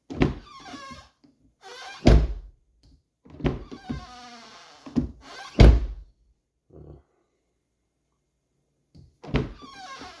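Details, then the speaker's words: Car door: each swing gives a sharp, high creaky squeal before the dull thunk of closing; dry door hinge squeak, fixed with WD-40. "That's annoying. I'm going to show you guys how to get rid of that real fast. So you guys can kind of hear that. That's kind of the hinge."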